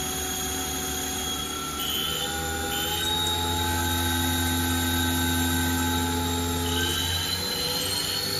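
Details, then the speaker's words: Haas VF0E CNC, 20 hp vector drive, after blown drive repaired and refitted, spindle previously rough with rpm hunting and high load: spindle run at 1000–2000 rpm no load, smooth even whine, only slight speed wobble, no grinding, low spindle load; normal. "only one rpm fluctuation and the spindle load is nice and low it should be"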